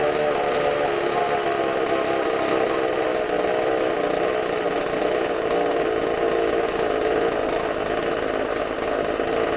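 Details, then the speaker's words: Supercharged McCulloch chainsaw bench test on tank fuel: steady high-pitched two-stroke scream held evenly at full throttle with supercharger sounds, no stumbling or surging, using fuel very fast with none pouring out; runs clean and strong. "All that fuel that fast. That sounds fantastic."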